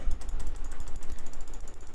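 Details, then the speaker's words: Razer DeathAdder Elite mouse during a switch repair after oil was added: quick, crisp, regular right-button clicks with no drag or crackle, so the right click works; the left click still gives nothing. "Right click's working. You can hear that there's just nothing on the left click."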